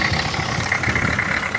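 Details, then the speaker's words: Old diesel vehicle recently revived after 20 years, running on a makeshift fuel filter, charging at 13.7 V: steady, even idle with a low chugging beat and a clean, unchanging rhythm; running fine. "all right I will try and fire it up later she's running"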